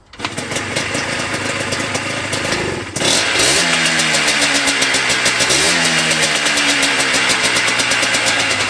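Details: Yamaha Blaster 200 two-stroke ATV, TORS system deleted, after adjusting carburetor air bleed screw: starts in a couple of kicks, takes quick blips, settles into steady even idle; runs happier though a fuel leak remains.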